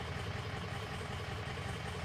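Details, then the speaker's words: 2003 Ford F350 6.0 diesel with hard start/stall: lumpy loping idle, rough clatter, miss worsening as cylinder 3 drops out; combustion gas entering fuel past failing injector sealing washer, often from injectors installed without proper torque. "okay there we go we're starting to lose three it's running worse"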